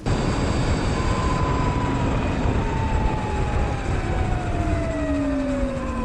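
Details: Sur-Ron electric bike after loosening primary belt (jackshaft to motor) a notch with incremental tensioner: steady road roar with a soft tone falling as it coasts; no harsh belt whine, tension sounds right.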